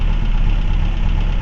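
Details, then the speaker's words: 1979 Renault 17 TS Phase 2, 1647 cc Cléon Alu 98 hp engine, before rocker adjustment: lumpy idle running on three cylinders with dull valve clatter, started with a little throttle; misfire with clattering rockers. "Voilà, vous entendez les c buteur et regardez comment elle tourne. C'est une patate. Vous voyez, elle fait du 3 cylindres. C'est une patate, elle claque."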